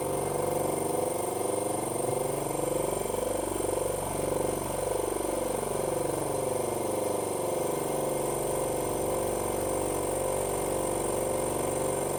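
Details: 50 L twin air compressor with split air pipe replaced, refilling to 8 bar: steady, even pumping drone at constant pitch with no knocks or rattles, normal running.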